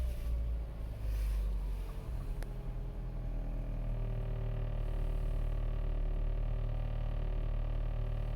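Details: 2008 Mini Cooper S R56, 123,000 mi, cold start after sitting two days at about 50°F: hard start, then a deep, uneven rumble and unsteady idle; cause unknown.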